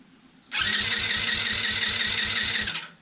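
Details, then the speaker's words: Cheap TaoTao 110cc that won't start, spark confirmed, cranking: quick steady starter whir with weak even compression pulses, no catch; compression about 70 psi, loose cylinder head suspected. "this thing is almost no compression"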